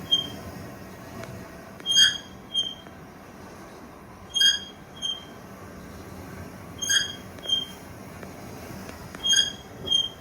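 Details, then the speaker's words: MamaRoo Sleep bassinet motion motor underneath, which randomly stops or squeaks, often at startup: high-pitched paired squeaks about every two and a half seconds in a quiet room; motor squeak. "However, we found that the motor in here tends to be very sensitive. It will stop working at random times and also will start squeaking at random times, generally when it first starts up as well."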